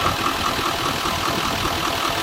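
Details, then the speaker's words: 2019 L5P Duramax diesel pickup, under 60,000 miles: uneven, lumpy idle with a regular stumble and a shaking truck, worse as rpm rises and falls. Codes for cylinder 4 injection timing and misfire were traced to a failed injector 4 connector pigtail, which was replaced. "can tell it obviously has a miss. I bet it's shaking. I bet it's shaking the whole truck. You can definitely feel it, especially when the RPMs come up and down."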